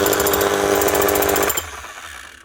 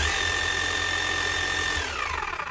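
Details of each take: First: 2006 Makita HM0860C 5 kg hammer-only chipping hammer, badly burnt-out shorted armature, also leaking oil; rapid hammer blows over a motor whine for about 1.5 seconds, then winds down, smoking; weak hammer action. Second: 2006 Makita HM0860C 5 kg hammer-only chipping hammer after rebuild with new armature: steady high motor whine with faint gear whirr from slightly worn crank gears; runs smooth, expected to quieten as gears mesh in.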